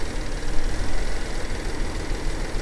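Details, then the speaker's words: Car at an auction yard: a deep idle whose loudness surges and dips unevenly, a little rough but improving as it runs. There are signs of an old coolant leak. Rough idle. "Yeah, the idle is definitely a little little rough, but it's getting better as it runs."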